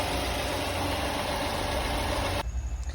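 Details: 2019 Fiat Argo after replacing the valve cover diaphragm that caused whistling, misfire and a fouled cylinder three plug: steady, even idle hum with no whistle or hiss, then sound stops abruptly; normal idle.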